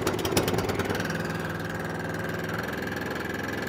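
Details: Atco Balmoral 14SK mower, Kawasaki engine, choked, fires on first pull and settles into steady even run with faint constant whine; no faults heard.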